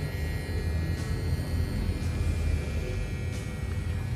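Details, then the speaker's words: APC Easy UPS BVX700LUI-MS 700VA 360W with AVR stabilizer, powered and running: steady low electrical transformer hum with a faint thin tone above it, even throughout; described as normal, every UPS hums like this. "Nah, itu suara dengungan itu wajar ya guys. Memang setiap UPS pasti kayak gitu. Ada suara dengungnya."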